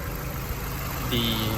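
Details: Mazda Miata NB just after startup: steady, smooth idle with only a faint, normal light clicking and no loud valve tick. The engine sounds healthy.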